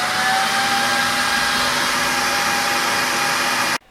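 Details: Budget RGB PC case fans, non-PWM two-wire, not motherboard-controllable, running flat out: loud constant rushing whoosh with a faint tone on top that cuts off suddenly; loud case fans at full speed, before slowing modification.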